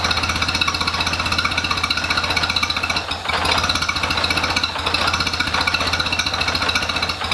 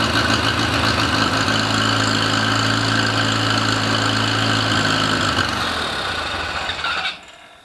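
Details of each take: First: International Harvester Cub Lo-boy tractor, freshly rebuilt C60 engine: fast choppy pulsing, sagging twice then picking up, hunting unevenly; carburetor flooding itself, gas piling up, making it hard to run consistently. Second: Rebuilt International Harvester Cub Lo-boy C60 engine on first start, carb and timing not dialed in, initial smoke from assembly lube: lights off straight away, runs smooth and even, no knocks or misfires; normal running after rebuild.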